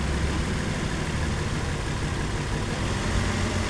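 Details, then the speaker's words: Nissan Pathfinder 4.0 L V6 at idle during a cylinder-by-cylinder injector cutout test, where cylinder 5 showed no response and is suspected dead: rough, uneven idle with an irregular low stumble and shake, a misfire. "بيتغير والهزه بتزيد اربعه اللي ما بيعمل معي رده فعل معناه هو اصلا ما شغال"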